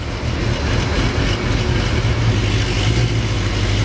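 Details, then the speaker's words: Modified Mercedes C63 AMG V8 in limp mode, every cylinder misfiring and smelling rich: choppy, uneven low rumble with stumbling idle; O2 sensors suspected and about to be replaced, cause unconfirmed. "oh yeah what do we have every cylinder misfiring nothing oh no code would you clear the clothes on me god i hear it smells rich"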